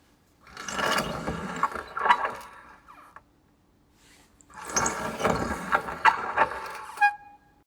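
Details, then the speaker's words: 2001 Honda CBR600 F4i front wheel lifted, calipers removed, wheel spun by hand twice; dry gritty rasp from worn front wheel bearings, also audible while riding; bearings and seals replaced. "Bad bearings of that CBR F4 2001. You can hear them while riding."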